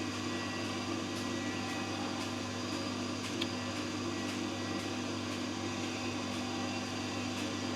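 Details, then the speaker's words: Electrolux dryer (also Simpson/Westinghouse) after complete inner shroud replacement: even drum hum with light steady whine and soft periodic ticks; normal break-in whine of new parts expected to fade. "we'll let it run for a few minutes at least until it um goes in the opposite direction because can you hear that whining type of sound that will eventually that'll eventually wind its way"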